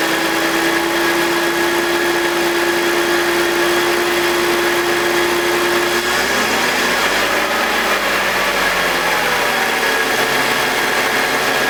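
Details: BMW E46 with M52TUB25 engine at idle, exhaust VANOS disconnected: settled even hum with steady whine, no grinding or rasp, no RPM drop. Owner suspects the VANOS causes a grinding noise, worse at startup, heard when connected. Normal idle.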